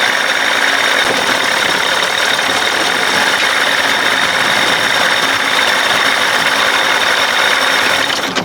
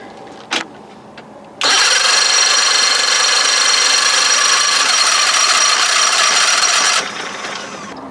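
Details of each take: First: 60 hp Johnson two-stroke outboard running again after days of no-start trouble: even, buzzy drone at steady speed with no knocks or misses, running smooth and normal; owner unsure whether the fault will return. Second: 60 hp Johnson outboard after solenoid trouble and jump-starting, owner wonders if it's flooded: high even starter whir for about five seconds with no firing; cranks but won't start, cause not confirmed.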